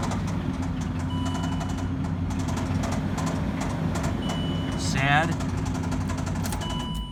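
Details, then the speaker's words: 2005 Range Rover driven on low oil until it ran out: a heavy, regular knocking over a rough, droning engine. The engine is blown and deemed unfixable. "if you'd like to experience what that is like when the engine is deemed unfixable this is what it sounds like"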